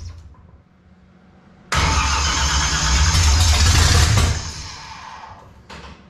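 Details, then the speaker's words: 1955 Chevy small block V8, first start after sitting roughly 10-12 years: catches abruptly, roars unevenly for a couple of seconds, then sags and struggles; firing but not running cleanly, oil pressure present. "All right, so we get fire, but she don't want to run that good."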